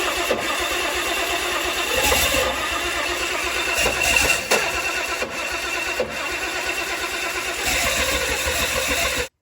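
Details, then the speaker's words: Turbo 170 Slant Six with Atomic EFI: starter whirs in long bursts with short pauses, engine never catches; weak-battery voltage drop seen; owner suspects ignition timing, unsure whether it needs more or less. "I'm going to set this Atomic system on fire why will this thing not run now"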